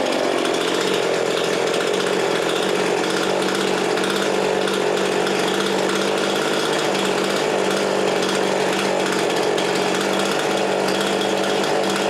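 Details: Husqvarna 350 18" chainsaw after rebuild with new cylinder, piston, ring and gaskets, muffler gasket left off (possible exhaust leak), compression about 75: steady, high, even two-stroke buzz with no surging or sputtering; normal running.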